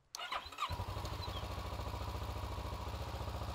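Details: Motorcycle in neutral with the kickstand down, tested for power at the starter solenoid. The solenoid clicks in, then the starter cranks with quick, even pulses; the starting circuit is healthy.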